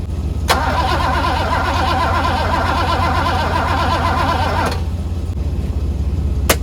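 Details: 1985 Mercedes W126 SEC, jumped from another car with starting fluid: starter churns about three turns a second for four seconds, no firing; cranks no start, owner suspects fuel pump or fuel pump relay.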